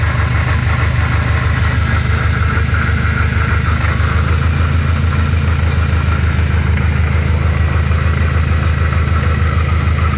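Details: Subaru STI 6-speed, car jacked up with driveline spinning: heavy low droning rumble with an uneven throb about once a second after loud drivetrain noise; gearbox or transfer case bearing failure suspected, not confirmed.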